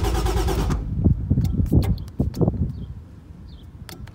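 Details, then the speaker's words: 1JZ-swapped Nissan 240SX S13: starter turns the engine evenly but it never fires and no fuel pump hum; owner suspected empty tank, actual cause an untied battery that shifted in the trunk, cutting fuel pump power. "I'm probably just out of gas. Hopefully that's it. I don't hear the fuel pump."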